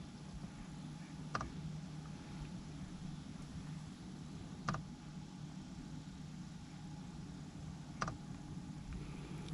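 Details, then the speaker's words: Planar 44D diesel heater in a portable Alubox during start-up after its fan check cycle: faint sharp ticks every few seconds over a low steady hum, the fuel pump mounted in the box corner clicking normally. "let me take you back down near the bottom so i can show you what that looks like hear the clicking that's the fuel pump"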